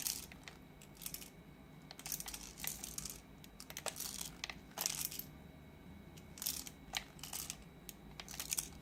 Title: MicroLab T1 Rattling Noise, Loose